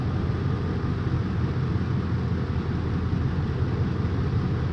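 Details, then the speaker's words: 2004 Ford F-150 5.4 3V V8 after replacing the failed cylinder 8 ignition coil with a new Master Pro coil: steady even low rumble, no misfire lope; engine no longer rocking, idling smoothly. "okay let's start this truck back up okay already we can see the engine no longer rocking like crazy"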